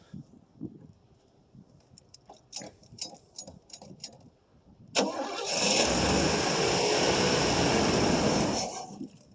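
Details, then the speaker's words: 1989 Pontiac Safari wagon, off the road 18 years, carbureted with mechanical fuel pump, first cold start: short starter bursts then a steady few-second crank, never catches; suspected gummy carburetor, plugged main jets or very old gas. "Could be gummy carburetor, too. That wouldn't surprise me any. Or the gas is just so so old. It's flash point ain't very good."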